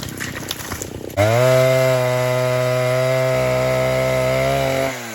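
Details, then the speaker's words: Vintage 1960s Stihl 08S chainsaw, close to 60 cc, with chain brake, cutting dead ash firewood: crisp two-stroke note settling into a steady even run after the cut, no misfire or hunting; runs good, normal running and idle. "That's all I can say. But it runs good."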